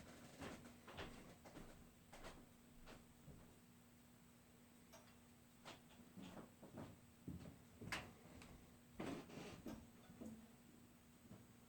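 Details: New Whirlpool water heater after heating water following shower use: irregular sharp ticks and knocks over a faint steady hum; cause unknown.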